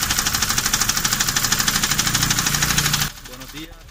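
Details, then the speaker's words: Gasoline engine after driving through deep water: quick, even tapping about three per second from the top end at idle. Valve knock from bent valves caused by hydraulic lock. "ese ruido sí que es preocupante muy muy preocupante imagínense que este es un golpeteo que salió luego de que el vehículo pasó por altos niveles de agua este es un ruido causado por las válvulas"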